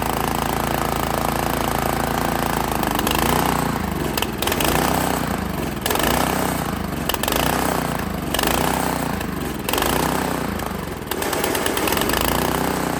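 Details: Honda GX160 on a Workman 2 Multimixer cement mixer, fresh fuel, choke on, after reassembly: note rises and sags roughly every second, never settling into an even beat; rough running.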